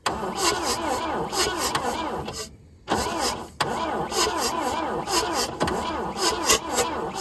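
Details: 1966 Volvo Amazon 122 estate, long abandoned and never run since being saved: the starter cranks the engine in an even, chugging rhythm with no firing, with fuel poured into the carb. It cranks but won't start.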